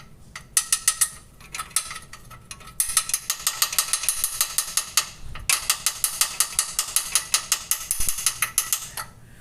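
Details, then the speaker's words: Honda City after driving on a dirt road: sharp, dry ratcheting clicks in bursts, about five a second, from a tiny stone trapped inside a suspension component; stone removed, fixed. "Esse é a segunda vez que eu passo por isso por causa dessas pedrinhas desse carro. A outra vez a pedrinha tava aqui dentro, ó. O barulho era assim, ó. Ela ficou aqui dentro."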